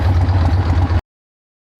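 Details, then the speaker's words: 1976 AMF Harley-Davidson Ironhead Sportster chopper on a long ride: idle turned down from almost 1500 rpm, which was too high, to a lumpy but even V-twin idle with no knocking, which sounds right. "I think I can get that idle down a little bit. I think it's idling a little high. Almost 1500 RPM. Okay, there we go. That sounds"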